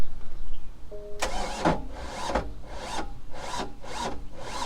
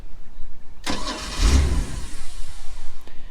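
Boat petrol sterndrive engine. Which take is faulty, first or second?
first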